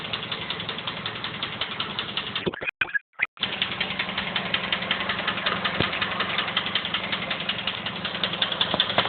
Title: Mazda 3 clicking noise